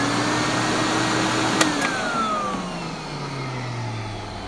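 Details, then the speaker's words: Epic vacuum switched on and off: the motor whine sinks as it spools down, with a rough growl and rattle in the coast-down. Worn motor bearings have been noisy for years; the owner won't replace the motor until it starts screaming. "Yeah, the bearings are really starting to make some noise when you turn it on and off. It's been doing that for years, though, and I just haven't had the chance to get a new motor for it."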